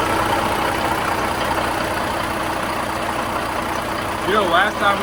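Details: Caterpillar diesel in a Peterbilt 359 catches and settles into a steady, even idle with a smooth whoosh and no turbo rattle, just after a new PDI stage 1 turbo replaced the worn-out AiResearch unit that smoked and rattled; runs healthy.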